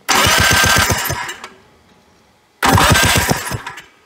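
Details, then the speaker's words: 1991 Polaris Trail Boss barn find, sitting 28 years, jump-started during a spark test: two short cranking bursts with quick, even compression pulses and no firing; no spark because the kill switch was off. "H get no spark there oh that's because that's off that should be run plenty of spark"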